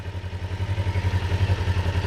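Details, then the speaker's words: Kawasaki Ninja 500R parallel twin, warmed up, idling with gauges damped: lumpy, uneven pulse that rises and falls steadily; carburettors somewhat out of sync, before adjustment. "I have these crunched down so there's just a tad bit of movement, and I can see that they're definitely out of whack. Not a ton, but they're out of whack."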